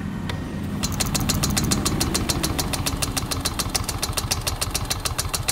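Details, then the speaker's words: Yamaha RayZR 125 BS6 scooter with rewired harness after wires were cut while parked 10–15 days: starter cranks in a steady churn with proper current but engine never fires; crank, no start. "మనకు proper గా current supply అవుతుంది but vehicle starting అనేది తీసుకోవట్లేదు"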